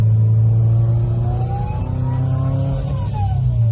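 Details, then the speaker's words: Turbo car on a test drive, tipping into the throttle: a thin whistling whirl rising in pitch over the exhaust drone under load. Turbo judged faulty and sent out to be rebuilt. "And I'm sure the camera's picking that up, or you can hear it whirl. So I just wanted to show you what it was doing."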